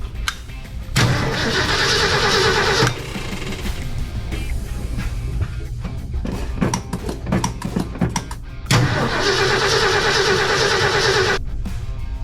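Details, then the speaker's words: 1966 Ford F100 pickup, sat unused for years, oil bath air cleaner: two starter cranking bursts of about two seconds with no firing; doesn't sound like it's getting spark, so crank-no-start from no spark. "Really doesn't sound like she's getting a spark."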